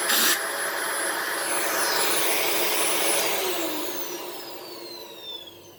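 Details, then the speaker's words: Dyson DC18 Slim All Floors upright vacuum, manufactured December 2006: a thin, high, steady whistle over the motor roar, with pitch sliding down as the motor spins off. Owner suspects cat litter plugging the cyclone shroud holes rather than the motor; unconfirmed. "yeah I think it's just making that noise because the some of the shroud holes are plugged with cat litter I could be wrong though but I don't think that's the motor"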